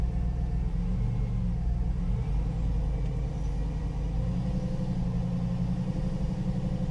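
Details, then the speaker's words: Salvage 2006 GMC Yukon Denali, started on a jumper box: deep even V8 idle with smooth steady rumble, no ticks, knocks or misses; runs smoothly, no abnormal noises. "actually sounds like it runs pretty good yes she seems to be running pretty good she's a little dirty no abnormal noises"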